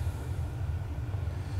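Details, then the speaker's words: Bradford White propane water heater that wouldn't light, after cleaning the dirty power pile (pilot generator): steady even low burner roar, no popping or flame-out; normal ignition. "She fired up nice that time. Put it back to pilot."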